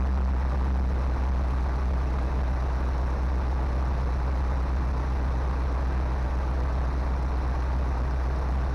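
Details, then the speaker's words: 1970 Chevy C20 dump truck engine, sat about 20–30 years, started on fresh gas: deep, steady, even V8 idle with no knocks, misses or surging; running well, no fuel pump leaks, oil pressure not great. "Blue Line not maybe not no way man that is running way too good"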